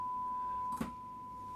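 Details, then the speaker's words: Late-1960s East German Vermona MV3 guitar tube amp under restoration, fed a signal generator tone and heard through a speaker on the floor: a clean, steady high tone. Output is normal apart from slight hum, as the hum cancellation is not yet adjusted. "I'm listening to the speaker which is on the floor here. And it sounds good except for a bit of hum."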